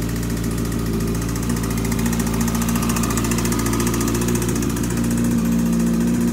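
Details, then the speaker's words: Yamaha R6 project engine idling after a cam and valve clearance check found the top end okay: a fast metallic rattle over a lumpy idle comes and goes and disappears when revved; the source is still unknown, and the oil pan is next. "And it sounds okay right now, but what happens is sometimes it sounds okay, sometimes got that rattly noise. There it's coming."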